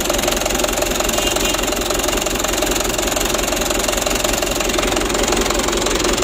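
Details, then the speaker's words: 2010 Mitsubishi Canter 125 PS diesel idling before plunger adjustment; loud clattery idle with lumpy shaking beat; rough idle from uneven injection pump plunger setting, plungers to be evened out. "Ayo kita matikan dulu dan kita setel kita pergeseran punya supaya goyangnya itu normal ya ya Intinya jangan sampai terlalu parah goyangnya begitu ya"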